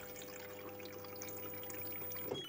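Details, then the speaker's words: LG inverter Direct Drive front-loader, module repaired for DE1 error that persisted after door lock replacement, tested in rinse mode: quiet steady trickle of water into the drum without interruption or odd noises. No DE1 error, normal fill. "Tes modul saya pasang di mesin cuci kami, mode rinse. Sudah nggak error DE1, normal ngisi air."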